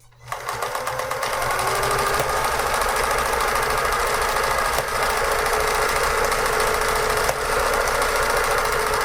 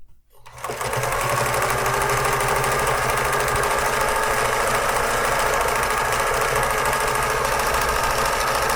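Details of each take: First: Vintage Pfaff 360 sewing machine running a pattern stitch: steady rapid clatter about four clicks a second, even with no binding; normal clicking of the pattern mechanism jumping. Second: Vintage thrift-store Pfaff 360 sewing machine on a decorative zigzag stitch test: steady rapid chatter of the needle mechanism at an even pace, no surging; seems slower than full speed, though unsure whether it should be faster.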